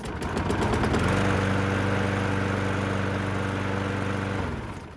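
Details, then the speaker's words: Donor 6 3/4 hp mower engine on an old deck with a broken handle, to replace a Craftsman's zero-compression engine: picks up and holds a steady, even putter with no misses or knocks, then winds down; runs really well. Normal running. "Runs really well, except unfortunately this thing's a little old and the handle is completely broken off right there."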